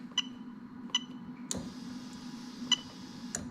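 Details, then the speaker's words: 1UZ-FE VVT-i standalone harness in a Mazda RX8, fuel pump active test from the ECU: sharp, crisp relay clicks about once a second over a quiet hum, then the pump runs. The 25 A fuel pump relay is switching normally. "Okay, so as I press this arrow, you're going to hear the relay"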